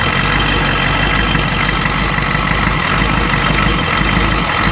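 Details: 1992 Ford 7.3 IDI diesel idling loud and rough with an uneven, injector-like knock and a stumbling beat. The random misfire comes with intermittent blowby. Teardown found the second ring broken in half on two pistons and one bad valve guide.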